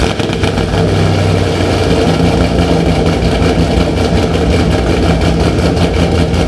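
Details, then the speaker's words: Built Camaro Z/28 with performance cam: deep loud choppy lope rising and falling at idle, normal cammed idle; minor exhaust leak also noted. "You hear that boy chopping? It's chopping today. Yep. Ooh, that boy is chopping today."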